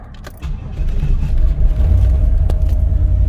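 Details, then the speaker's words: LT1 Trans Am cold start at about 15–20°F after long sitting on six- or seven-year-old fuel, with a temporary battery: catches into a lumpy, surging idle, a rough cold start with no smoke and no engine ticking. "yes it runs it's got a rough cold start but no smoke whatsoever no ticking from the engine"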